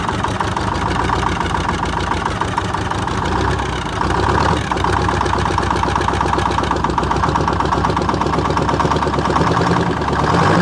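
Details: 1978 Chevy Bruin, 8V71 Detroit two-stroke diesel, cab off, first start after fixing no-start issues, no coolant: fast even chatter at steady idle, firm regular beat, no miss; fluid spewing from disconnected power steering line; normal idle.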